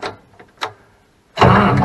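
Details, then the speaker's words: International 1586 tractor that sat for a couple of years, with batteries newly installed and solenoid work underway: a few faint solenoid clicks, a pause, then the starter catches and the engine turns over with a steady churning roar. "listen there this thing turned over let's put it in neutral and see what happens"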